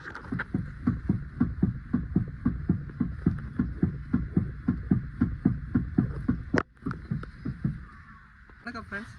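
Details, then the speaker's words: 2021 Hyundai Venue with 25,000 km, standing still without driving: steady hollow clunks about two a second from the front suspension area, traced to a defective steering rack assembly; worn steering rack knock. "Friends சஸ்பென்ஷன்ல வந்து பாத்தீங்கன்னா இங்க noise பாருங்க. வண்டியை drive பண்ணாமயே எப்படி இருக்கு பாருங்க."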